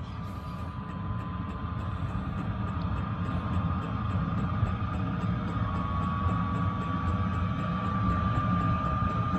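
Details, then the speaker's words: Heater running from a battery on charger, at full setting: even low rumble with a steady blower whine rising slightly as the tone changes on ignition; lit and running smoothly, warm air out. "it's just ramping up now you can hear the uh the blower in the motor it's just changed tone it's ignited I've got warm air coming out of the duct"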